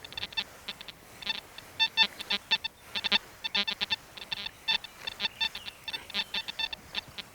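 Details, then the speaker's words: XP Deus metal detector on Sonar program 6 Deep in a field with no mineralisation: constant erratic high-pitched chirps and warbles with no target; far too noisy threshold chatter, attributed to the program's filtering. "far too noisy and I don't want to start making any adjustments because I know that's the filtering which is causing this."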